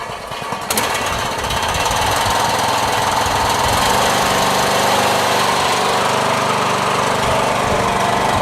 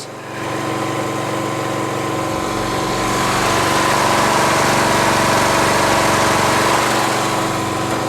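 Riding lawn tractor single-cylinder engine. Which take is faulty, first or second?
first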